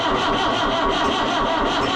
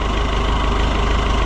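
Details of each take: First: Oliver 1365 (Fiat 640) diesel tractor after fuel filter and fuel leak work, battery at 12.3 V: catches and runs roughly for about two seconds, then sags and dies from air in the fuel system. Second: Oliver 1365 (Fiat 640) diesel tractor running after the fuel filter leak repair, with no fuel leak and a jump pack reading 17.9 V; a water pump drip is seen. Steady, deep, even diesel idle: normal idle.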